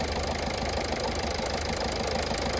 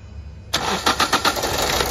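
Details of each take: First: Toyota Etios diesel with all four injectors serviced after petrol misfuelling: steady, even diesel clatter at idle with no misses or extra knocks, then winds down at switch-off; running perfectly. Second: Toyota Etios diesel after petrol misfuelling, number 4 injector line and connector disconnected: starter churns with even compression beats but no firing; long crank, back leakage from injector 2 and the others, blamed on running on petrol.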